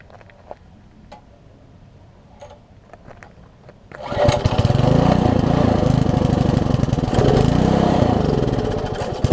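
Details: Old (1996 or later) Troy-Bilt Tuffy tiller, 4 hp Briggs, left outside, before repair, air filter cover off: starts into uneven, surging chug; rough running, owner thinks original carburetor too far gone despite new diaphragm.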